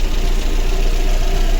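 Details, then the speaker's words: Lada Granta 1.6, 200,000 km, engine never opened, hot idle: lumpy uneven running with a stumbling beat; misfire on cylinder 3, before full cylinder head rebuild. "Чітко чуємо, що двигун наший траїть. Дуже йому погано."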